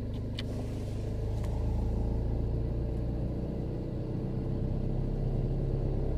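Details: VW cold engine on a winter day: smooth, steady low rumble held at a raised idle of about 1100 rpm with no knocks or misses; normal cold high idle.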